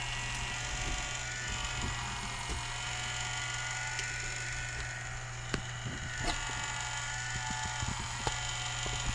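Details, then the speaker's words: Culligan Gold Series 9 water softener control valve (error 1H), test-cycling in service: steady motor hum with light clicks and slight straining as the piston moves in and out, but no binding, so it works fine. "you can hear it's straining a little bit but you know it is a a there is a bit of an effort in moving that piston in and out"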